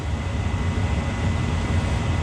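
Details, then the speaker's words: Mana 80 SV Air Command furnace after a no-start repair, jumper wires fitted: the blower runs to cool the unit so the limit doesn't trip. Steady, even low rumble with no rattles, scraping or surging, normal blower operation. "Let the fan cool it down a little bit so the limit don't trip."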